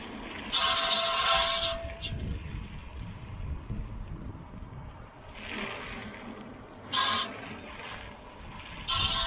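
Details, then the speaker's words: Tesla Model Y driven slowly around a parking lot after a rocky dirt road: intermittent harsh metallic scraping bursts coming and going with wheel rotation; rock caught between brake rotor and brake shield, per research and Tesla. "So after doing a little research and then also posting a YouTube short with what was happening, and then also talking to Tesla, it sounds like there's a rock that's actually caught somewhere between the brake rotor and the brake shield."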